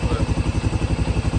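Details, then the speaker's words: 2015 Can-Am DS250 ATV after carburetor cleaning (previously ran rough and wouldn't idle): crisp single-cylinder thump about nine beats a second, evenly spaced and steady, no smoke; clean, healthy idle. "yeah it ain't smoking or nothing motor sounds healthy on it"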